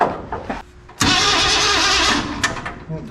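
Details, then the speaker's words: Ford 302 V8 with AOD transmission in a 1968 Chevy C10, cranking with a little gas. The starter churns for a second or so and it never catches or fires; a spark tester shows no spark, so the ignition system is suspected. "no spot okay okay so uh we don't have any sparks so start diagnosing the ignition system on this thing"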